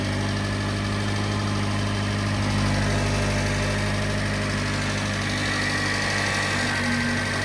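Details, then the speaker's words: Subaru Sambar engine at first startup after preventative maintenance (water pump, timing belt, seals); steady idle with tinny buzzing rattle about three beats a second from an untied heat shield underneath; loose heat shield rattle. "coolant of my Shields is not tied I can hear it rattling all right down here"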